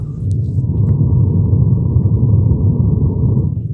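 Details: Home theater subwoofer working again after mode change: deep, steady, clean bass rumble with nothing above the low end.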